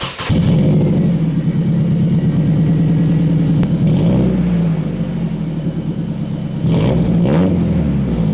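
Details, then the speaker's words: Nissan S14 with KA four-cylinder after a new exhaust gasket replaced one whose bolts vibrated off: starts and rumbles with a deep, even exhaust note through a couple of light blips, no puffing or ticking from the joints. "Let's go ahead and start this baby up and hear how she purrs. Maybe this will get you guys to appreciate the KA exhaust note, although it's still a truck engine at the end of the day."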